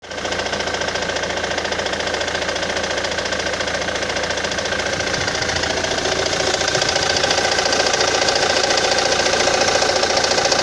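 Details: Ford Mondeo 3 at idle: light regular knock about three and a half per second over the idle; source unclear.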